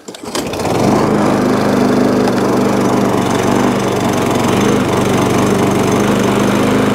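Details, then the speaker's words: Old MTD push mower with rear roller, from a job lot, starting after fuel was primed. It runs with a buzzy, tinny chatter, loose covers rattling, a brief speed dip and slight hunting. The crank is not bent; a spark plug and oil change are planned. "don't run too bad it just sounds like an absolute bag of nails all the covers all loose it's not got a bent crank or nothing like that"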